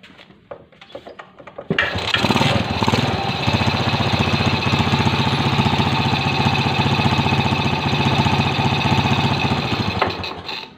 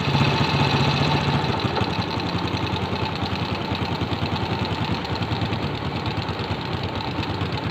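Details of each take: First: Suzuki motorcycle carburetor before idle adjustment: engine catches and idles with a rough, uneven beat that wanders, neither surging nor sputtering but unstable; carburetor idle setting is off, adjusted with a screwdriver. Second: Old Suzuki Shogun motorcycle, small single-cylinder engine, idling after carburetor air screw set to middle: low, steady, even firing beat, idle lower but no stalling; normal idle, carb healthy though somewhat dirty and never cleaned.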